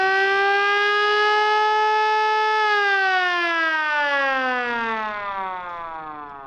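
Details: Siren on a restored command-variant Stuart light tank, retrofitted with an International DV550 engine: a loud wail holds a steady high tone, then winds down smoothly in pitch as it slows; it works properly.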